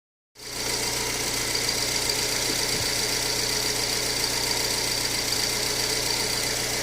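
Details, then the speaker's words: VW Fox after repairing engine noise: smooth even idle with steady hum, no knocks or ticks; noise completely gone. "só aí vou todo funcionando normal dinho acabou barulho 100%"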